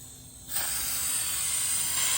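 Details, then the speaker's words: Hyrel pick-and-place attachment on a Hydra 21 printer, compressed air through a valve into a vacuum ejector: quiet, then a steady airy hiss switches on and holds evenly. The vacuum holds paper and releases it normally. "I'm going to release the vacuum. It falls right off. Turn on the vacuum. Falls right off. So we know the vacuum ejector and all that's working."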